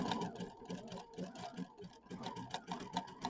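Quick rhythmic needle clatter in short runs, about four stitches a second, speeding and pausing with the fabric; the machine runs cleanly.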